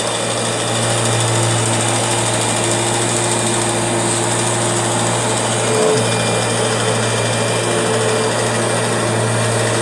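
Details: Kirby G6 vacuum: loud steady motor drone with a fast, uneven rattle over a constant high tone, something rubbing or loose inside, cause unclear; abnormal running noise.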